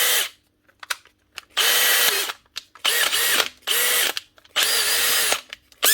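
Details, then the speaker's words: Makita DHP485 cordless drill, a 2020 machine, after fitting a new hex-end chuck (its third chuck): several even bursts of smooth steady motor whine with clean starts and stops, no grinding or rattle; runs healthy. "One Makita cordless drill, DHP485, 2020 machine with its third chuck."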